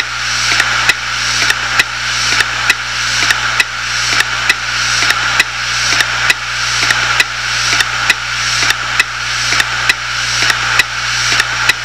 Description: My 250Gb Hitachi Deskstar hardrive died making this noise, and with half of the drive full of my stuff. This is running at 7200 RPM's so that might explain the noise level.